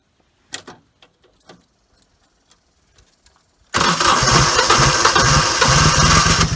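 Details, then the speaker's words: 30-some-year-old tractor at about 20 degrees, after adding an $8 starter solenoid relay: a few faint clicks, then it catches straight away and settles into a steady even idle. Normal start. "Now I have the relay in place, so I'll show you how it sounds when it tries to start with the relay."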